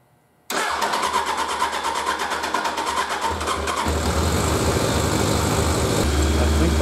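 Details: Suzuki 1100G four-cylinder that misfired after sitting, now with carbs removed and plugged idle jets cleared, fuel pump primed: catches at once and settles into an even, steady idle with no stumbles. Normal start and idle.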